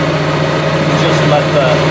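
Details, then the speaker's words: Onan Marquis 5500 RV generator (1998 Bounder motorhome, 20+ years old, 60 hours) after carburetor rebuild; smooth even steady-speed note, no knocks, misses or surging; owner says it sounds really good, lots of life left; normal running. "For now, I'm just happy to have it running. It sounds really good, and I feel like we got a lot of it's got a lot of life left in it."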